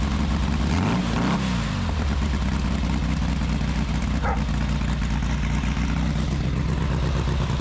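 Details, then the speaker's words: VW-type 1835cc engine with a new oil pump and new ECU wiring: a cold start that catches quickly, revs briefly and settles into an even low idle. Normal start and idle. "Anyways, as you can see, it starts right up and uh runs fine, admit it, but that could have been my fault."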